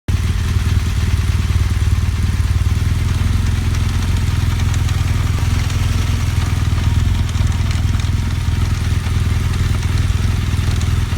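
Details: BMW GS Adventure motorcycle: steady low engine run with a light irregular clatter over it; abnormal mechanical noise, cause unclear.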